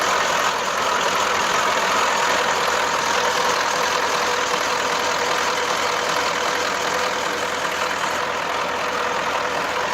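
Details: Ural diesel truck idling cold: steady even hum holding pitch; boost hoses leaking at one joint when cold make the turbo drone; boost hose leak.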